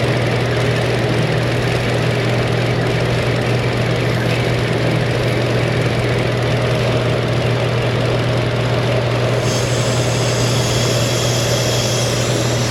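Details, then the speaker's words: Car with lean code and suspected misfire, fuel trims being tested at idle: steady idle hum with faint airy hiss from a deliberately opened vacuum leak; fuel trim still subtracting fuel, engine runs rich, close to stalling. "Got a wide open vacuum leak. Still minusing fuel. Try not to stall it."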